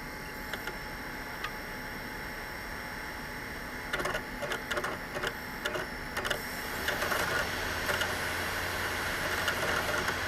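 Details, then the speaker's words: Failing SSD in an Xbox: over a steady electronic hum, sharp light clicks come in irregular clusters about two a second; intermittent clicking from the drive, cause not confirmed. "i don't know if you guys hear the clicking noise but normally oh there you go just heard it then as soon as i started talking it just did the clicking noise then"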